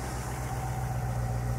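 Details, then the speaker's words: 1975 International Harvester Scout II stock V8 at idle, mic near exhaust: deep smooth steady burble with no ticks or knocks; no smoke warm or on cold start, healthy engine. "here you go you know it doesn't uh it doesn't blow smoke or anything like that and when it's cold when you start it up it doesn't blow smoke either"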